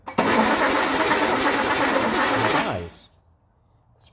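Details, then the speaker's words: Car with rebuilt flat-top carbs, cranking with no spark: the starter spins evenly about three beats a second without catching. A distributor points fault is suspected; it cranks but won't start. "so the problem is we're not getting spark here spark there all right crank"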